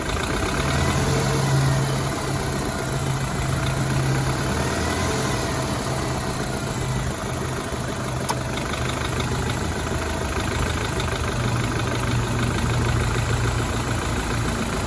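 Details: BMW 328i F30 N26 engine at idle: steady hum with uneven light knock and faint whine on top; owner suspects a bad timing chain guide, source unconfirmed.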